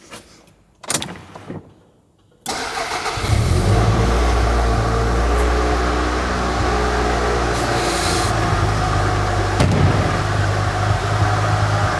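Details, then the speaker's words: VW T4 van left in a barn 7–10 years, sold as non-runner with suspected snapped cam belt: after a couple of cranks it catches and idles with a steady whirring under the running; worn water pump bearing. "You can hear the water pump is not too pretty, if I'm honest. You can hear that whirring away. But to be expected if it's sat there for that long."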